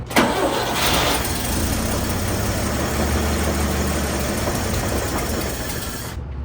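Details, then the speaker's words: 1960 Chevy C10 Apache barn find, 78,000 miles, first start, still drawing fuel toward the carburetor: quick crank, catches at once, settles to an even smooth idle with no knocks or ticks; motor healthy. "But actually the motor sounds really healthy. You hear no weird noises or anything. It seemed to run pretty smooth."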